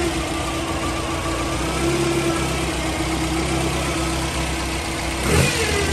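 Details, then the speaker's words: Toyota 3TC with a new timing gear drive and carbs, first cold start in a garage: a steady mid-pitch gear hum under idle that rises with a quick rev. Normal gear-drive whine, louder indoors. "so at idle you don't really hear the gears at all oh now we do okay"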